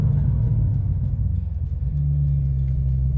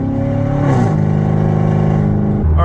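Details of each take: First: Chevrolet Corvette C7 Stingray V8 after replacing the hacked-up factory exhaust with a bolt-on tuned muffler system: deep, steady low rumble with slight pitch lift near two seconds; normal exhaust rumble. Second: Chevrolet Corvette C7 Stingray with hacked-up factory exhaust and a massive exhaust leak, check engine light on, accelerating from a stoplight; very loud raw V8 roar climbing through the gears, painful cabin drone.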